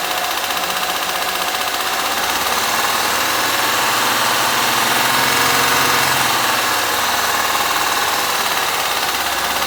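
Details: Honda Pilot 2 engine at idle, heard both hot and cold: steady rapid knock about four per second over a hissy idle; internal engine knock, cause suspected but not confirmed.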